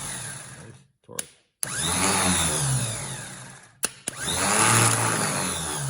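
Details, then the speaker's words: 1974 Pontiac GTO 455, battery just reconnected before first start attempt: two short bursts of fast, even electric whirring with no grinding, clicking or dragging; starter spins freely, normal. "sounds good"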